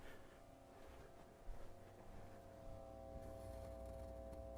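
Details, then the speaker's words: 1947 Philco 47-1230 radio-phonograph chassis at first power-up, brought up slowly to about 100 volts: a faint, steady low speaker hum with no crackle or buzz. Normal tube hum, not power-supply hum. "I got a little louder speaker hum that's good but not like not like power supply time just the normal everyday garden-variety tube hum"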